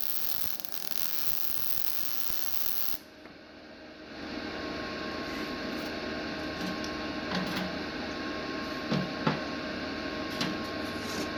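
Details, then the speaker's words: GZ Guozhi MIG 200P welder after turning the wire speed down to 100 (setting stated as 115.5): an even frying crackle for about three seconds. The arc sounds fairly smooth, with the settings getting closer to right. "I feel like we're getting a little closer."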